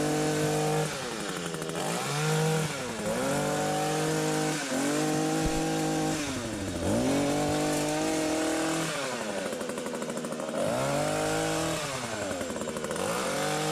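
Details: Hedge trimmer after repacking the nearly empty gearbox with grease to cure metal-on-metal grinding: revs up and drops back several times with a clean, even buzz and no scraping; gearbox runs smoothly.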